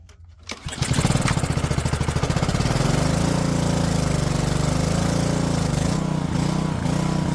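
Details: Honda-powered Homelite pressure washer after a carburetor clean, float valve checked sealing: fires, then rpm hunts up and down, surging erratically; owner suspects bad gas, cause unconfirmed.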